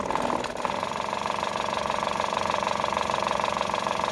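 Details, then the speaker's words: Aqua washing machine spin-dryer motor with windings still good but a worn, loose bushing: uneven throbbing whirr about three pulses a second, not smooth, wobbling; causes weak spin and humming. "Nah ini kalau dinyalakan nyala cuma Enggak ini ya Enggak enggak halus suaranya nah dia goncang"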